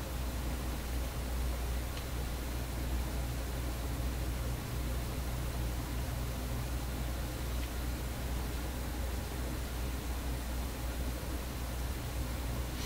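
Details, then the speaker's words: Vacuum tube PA amplifier on a large speaker: a constant low hum under soft hiss that barely changes with the volume control. Amplifier hum remains after several fixes, source still unknown. "The hum is very low, you know. If you don't hook it up to a very big speaker like this, you probably never hear it."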